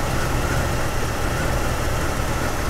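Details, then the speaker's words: 1999 Jeep Cherokee that stalls intermittently, with an aftermarket crank sensor fitted by another shop, warm idle: uneven stumbling with dropped pulses, misfires shaking the laptop; scope shows missing crank signal teeth from the faulty crankshaft position sensor. "right now the laptop is shaking because of all the misfires so I'm gonna let this settle for a little bit and we can get back to it"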